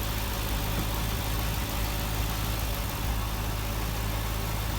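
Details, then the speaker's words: Cadillac CTS-V after AC compressor replacement and oil change, car reassembled, cooling system being bled: even steady idle with smooth low rumble, no knocks, misses or squeals; nothing leaking, normal idle. "all right guys the car runs everything's good nothing's leaking right now just bleeding the cooling system"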